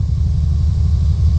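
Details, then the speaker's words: Steady, fast idle on a C3 Corvette L82 with high-lift cam: about 1,400–1,500 rpm with the AC compressor running, then 1,200, after fitting an idle stop solenoid. Idle too high; solenoid plunger needs backing off. "at running at between 1,400 and 1500 and now when it's back when it's on we're running at 12200 so we need to back that uh plunger off on that thing"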